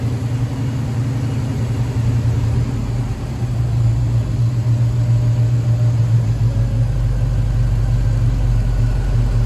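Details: 1969 Pontiac Firebird, Pontiac 400 V8 with Holley Sniper fuel injection, warm, idle screw being adjusted for IAC position 3–4: deep, even burble holding steady with slight settling as idle is trimmed; normal.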